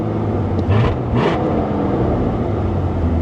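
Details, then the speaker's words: 1983 Mercury Cougar 5-litre fuel-injected V8, warm at about 195°F, oil pressure about 45; steady even hum held well above normal idle: high idle, owner suspects throttle adjustment screw needs setting. "So there's probably a little switch, a little screw that you can turn to set the throttle. She's definitely idled up a little too fast for my liking."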